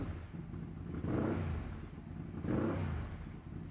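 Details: 2008 BRP Can-Am Spyder 990 cc two-cylinder, sputtering complaint, cylinder intake pressures unequal (13–14 vs 7–8 mbar) and low battery voltage: revved in two blips, labouring unevenly and stumbling; misfire, suspected mixture setting problem.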